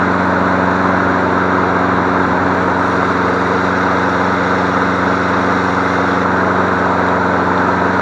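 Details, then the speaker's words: Free 21-inch MTD Select Series self-propelled push mower, small single-cylinder engine, first start after diagnosing cord snapping back (suspected sheared flywheel key); steady, even drone at constant speed, no misses, knocks or surging; running smoothly. "oh yeah [Music] good job you sound pretty darn good"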